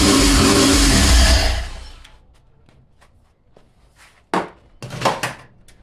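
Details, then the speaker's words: 1987 Fiero GT with swapped 3800 supercharged engine, start attempt with fuel lines not yet connected and no fuel pump hooked up: loud roar for about 1.5 seconds on starter fluid, then winds down and dies, leaving clicks. "So right now there's no fuel, so that's why it only ran for a couple seconds, because it was running on starter fluid."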